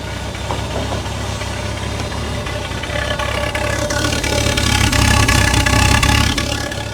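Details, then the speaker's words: Holden VK Commodore Berlina revived after over 10 years in storage, fuel tank nearly empty, alternator loose with a bolt missing, spilled transmission fluid burning off: uneven, lumpy idle with scattered ticks and a wavering beat. Rough running, suspected low fuel. "she's not running mint though drink up little buddy so I just called Jackson over because it's a me that sounds very empty so I think we should put some fuel in it proper amount of fuel and try and run it properly"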